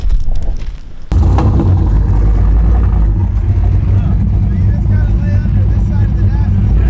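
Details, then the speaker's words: Carbureted street/strip car with a cammed V8, a legit 10-second car: it catches with a bang, then settles into a deep, lumpy, loud rumble that stays even and strong, sounding healthy and rowdy. "There we go. Yeah. Thing sounds rowdy. Yeah, it does."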